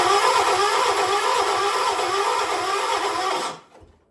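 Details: 1976 John Deere 300, cranked using a jumper pack: starter whirs and grinds steadily about three and a half seconds with no firing beats, then stops; cranks but won't start, cause not identified.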